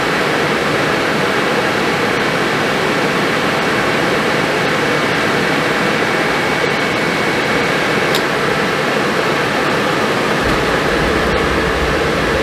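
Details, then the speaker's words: Suburban RV furnace after replacing the faulty gas valve that passed no gas, 12-volt powered: blower whooshes smoothly, a sharp click, then soft low rumble as the burner ignites and holds; normal startup. "You hear it ignite? Yeah, it lit. Smells good, sounds good."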